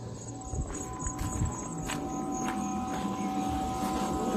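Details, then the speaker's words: 1989 Jeep Cherokee XJ Renix 4.6L I6, fuel pump run by jumpering relay terminals 30 and 87 to drain tank: thin steady high whine under clicking, pump running full-tilt normally. "there we go it sounds like a pump"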